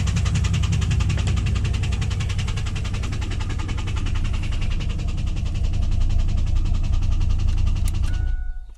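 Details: 2001 WS6 LS1 5.7L V8 idling after running out of oil (pressure 30 to 0), refilled: rapid tick about 160 per minute, stopping at shutoff; earlier only at high rpm, cause unclear.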